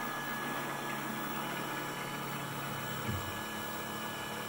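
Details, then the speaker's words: Precision Matthews PM-728V-T mill spindle, quill unlocked and moved down to fully extended: even, quiet hum with no knocking, grinding or whine as the quill travels; normal spindle running. "pretty quiet so I'm gonna leave the quill all the way down fully deployed"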